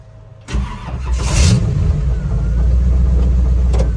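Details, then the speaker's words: 1947 Hudson pickup with 350 small-block Chevy, TH350, sat three years, now on a Holley carburetor after Edelbrock trouble, brakes seized: engine catches instantly into steady even idle, tire spinning against seized brakes; normal start. "fires right up though hear the tire spinning just trying to fight it fight itself to go back inside the shop"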